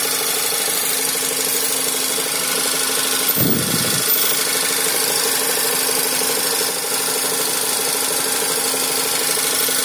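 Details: 2012 Skoda Superb II 1.8 TSI CDAA petrol, first owner, 112,500 km, idling: steady hum and hiss broken by irregular dull thumps every few seconds, a strange engine sound.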